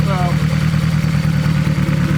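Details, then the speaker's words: Turbo 1.8 Chevy Cruze converted to AWD, after refitting cam gears, alternator belt and engine mount: steady even idle with regular beat; earlier belt noise, rattle and slop gone. "Oh, much better. That belt noise, that rattle that we had there before is gone. The slop is gone."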